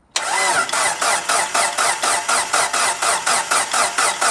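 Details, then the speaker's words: Rebuilt 2.37 stroker 4G63T Mitsubishi Evo 5 first start attempt: starter cranks steadily at about four even pulses a second but the engine never catches; no spark to the ECU, traced to a failed crank sensor, which was replaced. "as you just see there was no spark given to the ECU so I've just checked all the calls and everything because you can see that these plugs are nasty and ain't proper connectors checked everything over it turned out to be a crank sensor issue"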